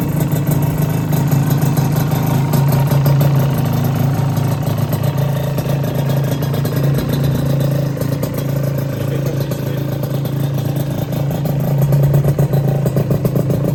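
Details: Rebuilt Honda LS125 two-stroke, cold, no choke: deep, fast ring-ding burble holding steady at idle with no knocks or rattles; healthy.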